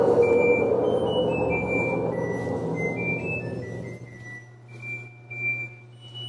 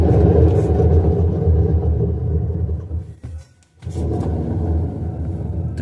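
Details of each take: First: LG washer-dryer with good bearings spinning at 600 RPM. After the noisy blown-bearing machine cuts out, it runs quietly with only a low steady motor hum. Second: LG washer-dryer with blown drum bearings spinning at 600 RPM: a loud, deep rumbling roar, compared against an identical machine with good bearings.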